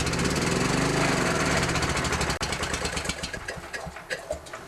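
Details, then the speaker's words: Honda EG4000 generator with G400 engine starts, runs evenly, then falters into uneven sputtering and dies when choke is released; keeps running only with more choke, carburetor cleaning to follow: engine stalls unless choked. "So when you choke it more, it wants to keep going, then you let the choke off and it dies."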